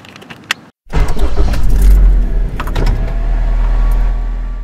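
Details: 2000 Honda Accord 2.3 VTEC 4-cylinder 5-speed, over 230k miles, after replacing a bad main relay that caused crank-no-start and no communication: quick crank catches and settles into steady even idle; normal start and idle.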